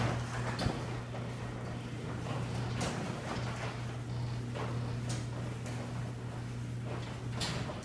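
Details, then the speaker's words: Squeaking garage door opener after its track was sprayed with white lithium grease: even motor hum with soft chain and roller clunks as the door travels and no squeal. The squeaking is gone, so the dry track is thought to be the cause. "Everything sounded good. All the squeaking was gone. So I believe that was the cause, but I'm still going to lubricate the rollers as well, just as a precaution."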